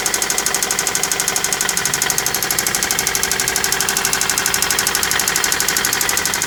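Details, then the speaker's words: Toyota Celica with a freshly installed JDM replacement engine, near operating temperature after about 10 minutes: fast, sharp metallic knocking over the idle, too loud to be carbon buildup; the engine knocks badly and likely needs replacing. "that doesn't sound like just carbon buildup that engine is knocking so bad"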